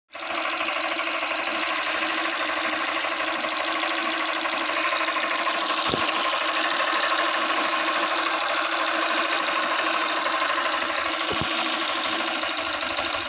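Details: Honda Unicorn 160 with tappet noise returning: fast, light sewing-machine ticking over a steady idle that follows engine speed; loose valve clearance suspected, not confirmed.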